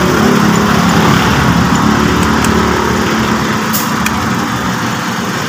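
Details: 2009 Hyundai Tucson after alternator connector/belt fix, started and battery warning light now off and charging: smooth, even idle of about four pulses a second, no knocks or squeals — normal idle.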